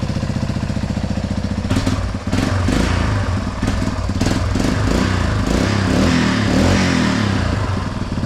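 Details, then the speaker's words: Yamaha Big Bear 350 ATV single-cylinder after freeing a stuck carburetor float: catches after a few turns and revs cleanly and progressively, no stumbling or bogging; throttle response feels right. "That throttle feels really good. Just progressively revs, you know, the way it should."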